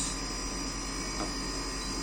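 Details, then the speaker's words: Sharp inverter air conditioner at startup: constant, loud, even droning hum without rattles as the compressor runs at high RPM with current rising to about 4.6–5 A and pressure dropping; normal inverter compressor startup noise. "Suara kompresor yang kedengar ya, coba saya diam dulu ya. Ini kencang begini normal."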